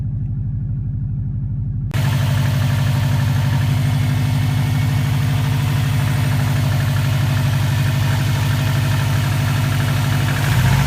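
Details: 2004 Subaru WRX stage 2 flat-four, warm idle, loud under hood: fast ticking riding on exhaust pulses, first suspected piston slap; compression 150 psi, leakdown 5-10%, no oil burning; cause was a cracked up-pipe flange.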